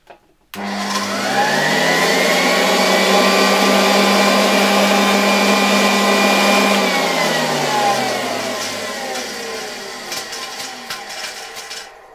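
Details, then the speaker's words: 1966 Alfa K2 (A7F) vacuum with an SK-5b motor, nearly unused but long stored. The whine climbs, holds and winds down with a rapid flutter of about three per second. Debris in the motor fan is suspected; the motor otherwise seems fine. "Jakieś zabrudzenie tam musi być w tych w tych turbinkach silnika. Zaraz spróbujemy to wyczyścić, ale poza tym wydaje się, że zupełnie y zupełnie dobrze ten silnik działa."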